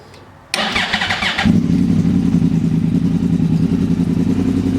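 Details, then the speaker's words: Graves Link canisters on a motorcycle just repacked and re-riveted: short crank, catches cleanly, settles to a steady deep burble with no ticking or puffing leaks; no leaks felt at rivets, normal start and idle. "Everything sounds really good, looks good, don't feel any leaks."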